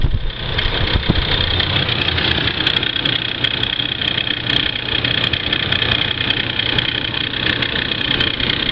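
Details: Ford Crown Victoria about 5 minutes after startup: a steady idle with a thin, high whine hanging constantly over the engine; the source is not identified. Unexplained engine noise at idle.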